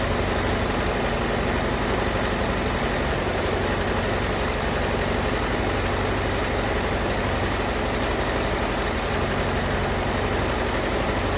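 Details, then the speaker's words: 1978 Ford Mustang 2.3 engine, first long run in decades, after an aluminium radiator install: loud rough idle with constant chattering, hissy noise from the front; loose alternator belt. "start to kind of smoothing out throughout me running it, besides that loose alternator belt that's making all that noise up front."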